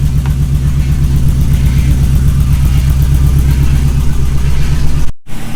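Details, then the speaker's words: Honda Civic EG after replacing a bad number three injector with an OBD2 injector: deep, even engine note with steady firing pulses through a light rev, no stumble or misfire; smooth running. "So, it's a long disaster, but as you can hear, it sounds a lot better. What happened was um number three injectors was bad, which we have over here."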